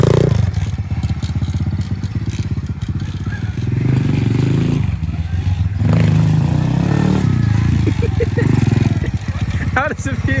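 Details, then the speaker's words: Aftermarket 125cc engine swapped into a Honda CT90 with a Chinese glass-pack exhaust, in first gear: small single chugging fast with a harsh scrape over it; a loose part is rubbing, leaving scrape marks. "uh seems super sketchy makes terrible noise but uh yeah no it's self it's self clearancing sorry yeah I heard this yeah you can see little scrape marks cuz it's a little loose but that sounded terrible"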